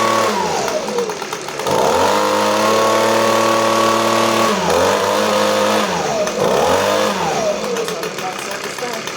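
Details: Echo ES-250 two-stroke leaf blower vacuum after cold start, fixed by screwing cover down so safety interlock switch is depressed: fires straight away, revs cleanly up and down with crisp, even buzz and steady pitch; normal running.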